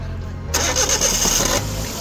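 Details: DA64V 4x2 manual petrol van, oil checked before starting, fuel low; brief crank catches on the first try and settles into a steady idle: normal engine start.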